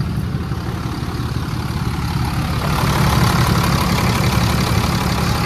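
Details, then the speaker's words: Totaled salvage Cummins diesel Ram 3500, first start after rewiring, key primed first: cranking rumble catches and settles into steady even diesel clatter about three beats a second; starts and idles fine. "freaking runs y'all the truck's running"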